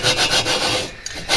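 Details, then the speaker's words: Lapping a cylinder into its head bore on a VW horizontally-opposed engine with water-based lapping compound, pushed down and turned by hand; scratchy gritty rasping strokes, still rough, surfaces not yet mated. "what's happening is we're making sure that it's essentially mated with the shoulders and then it also helps to deck the top of the cylinder jug"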